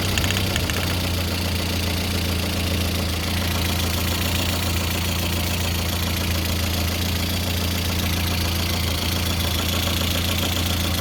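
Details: Lada Kalina 8-valve engine (11183) at idle: a faint, rapid metallic tapping of about three or four per second rides on the engine note, an engine knock whose source is unknown.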